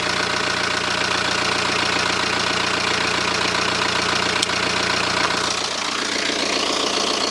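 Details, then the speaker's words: BMW with refurbished engine installed, initially rough, likely from burning off oil: steady, even idle with a smooth regular beat, no knock, miss or rattle, no exhaust smoke; sounds like a new engine. "you could even say it now sounds like a new engine no smoke whatsoever from the exhaust"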